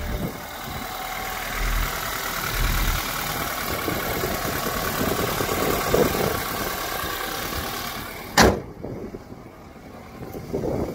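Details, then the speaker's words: 2014 BMW X3 xDrive28i, 2-liter turbo four, one owner, regularly serviced: just started cold, settles into a steady, smooth idle with no knocks or misses; healthy. "you see fire up you can see indeed this car is still cold it runs very smooth"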